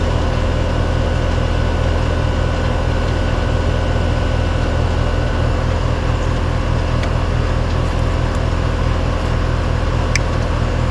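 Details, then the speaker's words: Three-year-old heat pump after a capacitor replacement, running at 129 suction, 234 head, 44 temperature, piston metering and 15 degrees superheat: even, steady drone from compressor and fan with no rattles or knocks. The unit is running normally. "all right guys I got a 129 suction 234 head 44 Cent temp got a piston with a 15 degree superheat that's about perfect"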